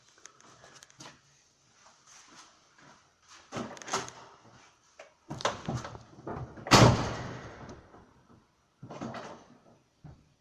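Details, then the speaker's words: VAZ (Lada) clutch cable after installing a modernized cable-drive linkage, which needs no servicing or lubrication: a few dull thunks as the pedal goes down and returns, no squeak or creak; normal clutch pedal operation. "Трос сцепления, скрипов никаких нет, обслуживать данный поводок не нужно, смазывать тоже."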